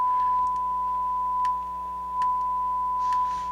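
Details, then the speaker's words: Harman Kardon HK350i receiver, owner reported a scratchy channel; on the bench power test with a test tone through speakers A, the right channel now sounds clean, steady and pure with no buzz or crackle. The earlier distortion was possibly from the connections. "now it sounds clean on the right channel i don't understand this i was definitely hearing its distortion earlier it could have been my connections too"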